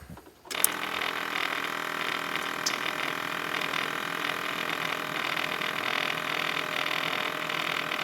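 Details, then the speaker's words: Ford F350 with 7.3L PowerStroke diesel, about 380,000 km (260,000 miles), after a fuel filter change: the key is cycled on four times for about 30 seconds each, and the fuel pump gives a steady buzzing whir as it primes normally. "just turn the key on cycle it four times about 30 seconds at a time and you'll hear the fuel pump I guess what it is what it is it just uh circulates it and primes itself"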